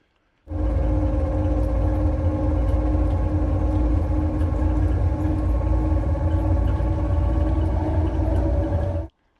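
A loud, steady low drone with a constant hum fills the bus cabin while it runs; the source is unclear.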